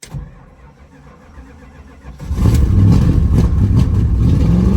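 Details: 1979 Chrysler 300 sitting a year, running on electric pump: engine catches after two quiet seconds into a loud, deep, boomy rumble; loud exhaust, owner thinks one of the mufflers is blown out.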